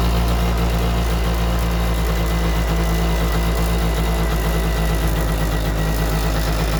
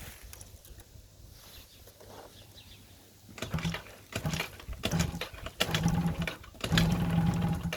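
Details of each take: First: Yamaha Jog scooter that wouldn't start after winter: steady, even low putter with no misses or knocks; the little two-stroke now idles smoothly on its own. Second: Yamaha Jog scooter after winter storage: repeated bursts of starter whirring, each a couple of seconds, with no catch or firing between them; cranks but won't start.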